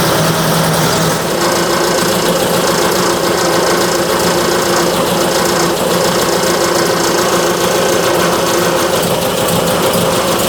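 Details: 1966 Triumph Spitfire, rebuilt 1147cc engine, new coil fitted, timing believed off: harsh, busy clatter with uneven, lumpy idle note; rough running, cause unknown.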